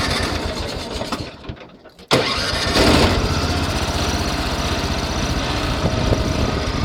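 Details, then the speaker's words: Cub Cadet 1100 riding mower, single-cylinder: brief cranking, catches at once and settles into a steady quiet run; a faint rattle is judged not to be a rod knock, a healthy start. "That noise isn't a connecting rod knock, it's just something rattling, because if it was a rod knock, I know it would sound much worse. And as you can hear, it's pretty darn quiet."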